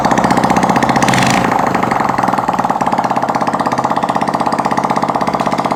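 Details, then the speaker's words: Honda CD70 four-stroke single after a piston ring change, silencer not yet fitted, carburetor being set: a brief blip, then loud, crisp, evenly spaced open-pipe pops at a steady idle. Fires cleanly and regularly. "तो अभी start करेंगे, उसके बाद हम इसका silencer लगाएंगे। पहले हम इसको स्टार्ट करते हैं और साथ ही मिक्सर भी करते हैं।"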